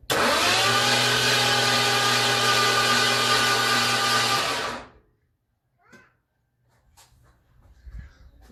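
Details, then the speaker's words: Early-model 302 V8 just fitted with a 6R80 transmission swapped in for a 4R70W, first starter test: about five seconds of steady, even whirring at constant pitch, then a clean stop. The starter turns the motor over normally. "I think I can hit the starter key and see if the motor turns over and what it sounds like."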